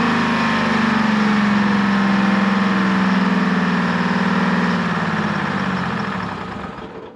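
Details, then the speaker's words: American 25 excavator, Detroit Diesel 6V53, first start after two years: holds high even revs, starting to run away, won't drop to idle, winds down after shutoff; injector rack/throttle setup suspected. "that sounded like it was starting to run away I had to hit the shut off and then when I hit it it actually seemed to slow down so I'm not sure what's going on in there but um it's running so I guess that's good"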